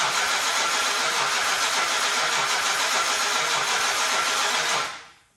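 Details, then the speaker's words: 1968 Dodge Monaco barn find, big-block 440 freshly painted and installed, first start attempt after 36 years: steady fast cranking about five seconds, never catching. Fuel, spark and compression present; owner suspects flooding with too much fuel in the cylinders. "She got fuel, she's got lightning, she's got compression because you can hear it. Well, I think we'll just let her sit for a little bit."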